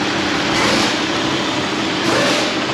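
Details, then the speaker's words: Jeep Grand Cherokee 4.0 I6, 372,317 miles, running hot, after fan relay replacement: steady airy whoosh of the electric cooling fan over the idling engine; fan now working normally. "let's go take a look at the fan see if it's running i hear it but you guys don't see it yet and check it out the fan is fanning it is now operational"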